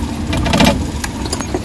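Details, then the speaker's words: Suzuki Big Eye DA64/DA63 with AC on, no check-engine light: rough uneven idle with loud irregular knocks and stumbles from misfire; oil found inside the independent ignition coils. "so lakas ng lagatak Ayan oh niyo yung lagatak ng makina naka-aircon position Problema gatak"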